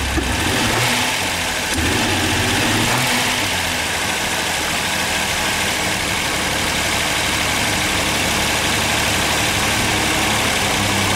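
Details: Ford Sierra V6 cold start with bad fuel injectors: lumpy, uneven stumbling beat with hissy top end; misfire-like rough running from the bad injectors.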